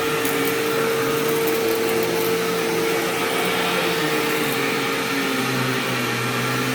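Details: Sharp Twin Energy vacuum cleaning living room: thin constant whine on suction roar for about five seconds, then drops away; owner notes squeal fades after running a while and partly returns after shutoff, cause unknown.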